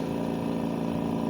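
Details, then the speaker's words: AirSep Intensity 10 oxygen concentrator (10 L/min) on the bench: dense steady rattling buzz under the motor hum, coming from the compressor, suspected rubbing; current draw peaking 4.6–5.6. "ese traqueteo proviene del compresor así que vamos nosotros a analizar de qué se trata ese rozamiento"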